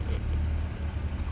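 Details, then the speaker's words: BMW X6 E71 with N54 engine, rough idle after AC repair: low, uneven engine rumble whose loudness wavers as the rpm goes up and down. "the problem with the customer complaint after i fix the ac is it's having rough idle you can see it right there you can see it going up and down right there"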